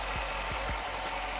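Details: Jeep Commander 5.7 Hemi V8 after lifter replacement: an even idle with a steady low beat and only faint injector tick. No shaking or misfire, check engine light off.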